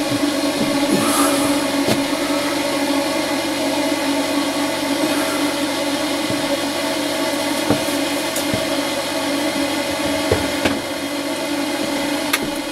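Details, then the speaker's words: Range hood fan on a Laika Ecovip 200 i motorhome after repair: steady, even hum at one constant pitch, no rubbing, scraping or rattle; running normally. "bon ça marche enfin ça va"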